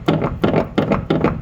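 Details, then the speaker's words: 2006 Hyundai Tucson, front passenger strut worked up and down by hand: dull knocking clunks about three per second; strut failed at the top mount, heard as a clunk over every bump while driving, strut replacement. "So you can hear that noise. You can see it from the top. So every time you go over a bump, you're hearing that noise in the car when you're driving."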